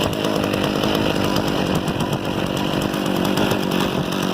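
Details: Harbor Freight 67414 ice auger after a bolt-on replacement carburetor, started with a drill and choke on. A high, steady two-stroke buzz holds even speed without surging or dropping out; running properly.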